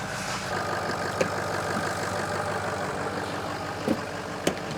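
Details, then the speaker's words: Ford F350 6.0L diesel after crank-no-start repair, previously towed in: steady, even idle with a smooth low rumble and a couple of brief shop clanks; engine runs healthy and sounds good. "this engine sounds good. Sounds really good. It came here on a tow truck."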